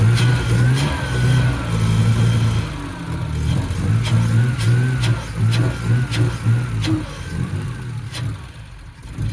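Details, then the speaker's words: BMW E46 with a replacement 2.5-litre six after the original had zero compression; freshly started six idling with a few throttle blips, pitch rising and falling cleanly, no knocks. Normal running, minor quirks noted. "Alright guys, well as you can see, the Beamer started. It got some little quirks to it, but we're gonna get it running good."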